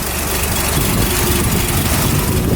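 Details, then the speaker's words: 1971 Ford pickup on a cold start with a cold exhaust manifold: a steady, even inline-six idle with no misses, knocks or ticks, smooth like a little tractor, a normal cold idle. "so you can just hear it idle really nice just smooth like a little tractor"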